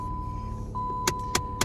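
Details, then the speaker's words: 2013 Dodge Avenger with 218,000 miles: sharp, regular ticking from the dash, about four a second, at startup that then stops, from the HVAC recirculation door actuator linked to switching recirculation on and off. "hear that ticking noise tick tick tick tick tick tick tick tick and then it quits uh so that's associated with the recirculation uh pump or recirculation door actually"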